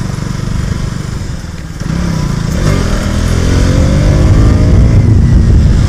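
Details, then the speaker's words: KTM Duke 200 BS6 (2023) pulls away and builds speed smoothly, chain quiet. After washing and lubing the chain, the earlier chain noise and grinding-like sound (first suspected as brakes) are gone. "Conclusion ये निकला कि जो chain की आवाज़ पहले आ रही थी वो अब ठीक हो गई है, और पहले ऐसी भी आवाज़ आ रही थी कि ऐसा लग रहा था कि कुछ घिस रहा है, बट अब वैसी कुछ आवाज़ नहीं आ रही है।"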